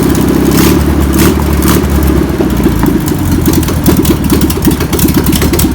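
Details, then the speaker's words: Air-cooled four-cylinder of a VW pressed-bumper-panel bus, stored over 50 years, idles rough and lumpy with a loose, uneven beat and occasional blips after penetrating spray and fuel are added. Clearly untuned. Owner suspects a bad fuel pump. Deemed a runner. "well I would say that's a runner's"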